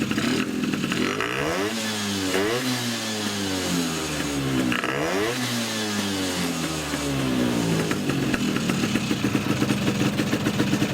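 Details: Polini 177 two-stroke scooter with Malossi 360 reed manifold and reeds, PHBH 30 carb and Megadella V5 exhaust, on its first start: revving repeatedly with a loud buzzy intake rasp over the exhaust, normal reed intake noise.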